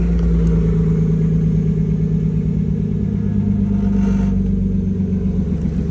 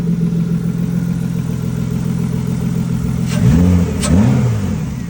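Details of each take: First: BMW E36 with exhaust, running after EWS crank/no-start troubleshooting and main relay and fuel pump relay replacement: loud steady low rumble with an uneven clatter at about four per second. Source unknown; unidentified engine noise. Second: BMW E36 previously crank-no-start from suspected EWS immobilizer issue, now running after ECU swap and main and fuel pump relay replacement; steady low hum then two rev blips, nothing alarming. Normal running.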